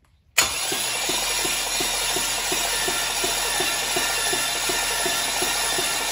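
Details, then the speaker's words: Junkyard LM4 aluminum 5.3 LS V8 on a run stand, fresh 5.5 quarts of oil: starter cranks it with plugs out to prime oil. Steady spin with an even ticking of about five beats a second and no firing; normal cranking. "Travis is just uh hooking up the starter and then what we're gonna do is just spin this thing over without the plugs just so we can um bring oil up to the top"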